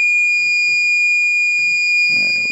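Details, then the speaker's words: APC Back-UPS XS 1300 desktop UPS, with a new replacement battery, that can't hold a load on battery. At power-on with the temperature sensor bypassed, a loud continuous high-pitched tone sounds: F07 temperature system fault alarm. "that off oh my god all right clearly it didn't like bypass in that temperature sensor so back to the drawing board it is"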